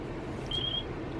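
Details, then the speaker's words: X4R receiver in a Falcon 130 quadcopter, bound to a Taranis transmitter while in bind mode: a brief high chirp about a third of a second long over faint room noise. It confirms a successful bind, and the receiver light turns green. "You hear that little cheep chirp. I do believe that that means that everything is bound."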